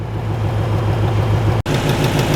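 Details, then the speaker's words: Camaro ZL1 V8 at idle, performance seemingly unaffected: steady low rumble with a faint quick tick riding over it; ticking at idle, owner suspects an exhaust leak. "See, and you can kind of hear it under here, a little more ticky."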